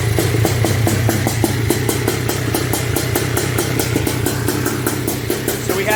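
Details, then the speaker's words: Honda TRX250R with M309R engine, first start, OEM ignition set to zero-degree timing, 38:1 premix: soft, blubbery, uneven two-stroke idle. Running rich and needs carburetor jetting. "uh so yeah we're definitely uh we need to do some jetting because you can see it's like super supe"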